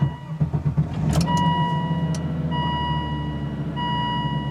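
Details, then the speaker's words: 2002 Volvo S80 sedan, 335,471 miles, SRS airbag light on: starter churns briefly, engine catches at once and settles to steady even idle; clean healthy start. "all right as you see it does start right up"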